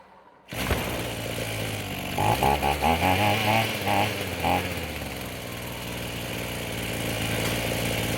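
Small two-stroke catches, blips cleanly a few times, then settles into a smooth steady idle without stumbling; runs healthy.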